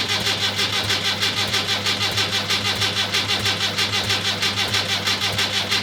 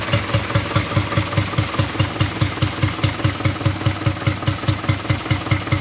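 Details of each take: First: Rebuilt Land Rover Series III diesel, first start after rebuild, injector pump timing just adjusted, glow plugs preheated: starter turns over hard with an even pulse about every two-thirds of a second but never catches; slow to start. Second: Rebuilt Land Rover Series III diesel, first start after rebuild with adjusted injector pump timing: even regular thumping about two and a half beats a second, no knocks or misses, not smoking much; sounds good, normal diesel idle.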